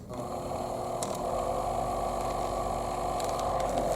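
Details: Old Thumper Mini Pro 2 massager, unused about 10 years, after disassembly, silicone lubrication and pin repair of noisy vibration: steady, even mid-pitched buzz without rattle or knocking; running smoothly.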